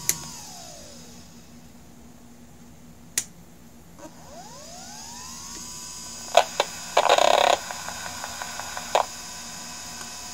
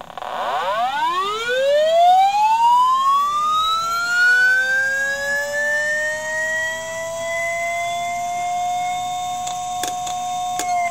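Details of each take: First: Hard drive heard through an electromagnetic pickup coil placed at the spindle motor: quiet spin-up sweeps, then bursts of quick ticking as the heads seek while firmware loads from the reserved area. A normal startup. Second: IBM "DeathStar" hard drive heard through an electromagnetic telephone pickup coil: platters spin up, then sharp clicks as the voice coil slams the heads back to the stops and retries. The spindle motor dips and recovers each time, and the drive can't load its microcode/firmware from the reserved area, so it never comes ready.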